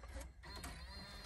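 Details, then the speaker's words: Chrysler Town & Country van, 226,000 miles: the built-in DVD player makes a busy whirring chatter with clicks, apparently grinding on something stuck inside, then stops. "DVD player is freaking out interesting that's not good okay it's stopped"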